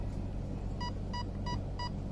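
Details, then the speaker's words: Arc 1 RC speed controller in program mode, driving-mode layer: four clean mid-pitched beeps about a third of a second apart over low rumble, confirming crawler mode selected. "First layer, 4 in reverse, 2 beeps, 4 only, 3 beeps, beginner's mode, 4 beeps is what we want."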